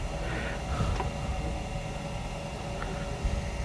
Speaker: way it's spinning right now it's pretty stable okay once I touch it with a turning tool though things are gonna change a little bit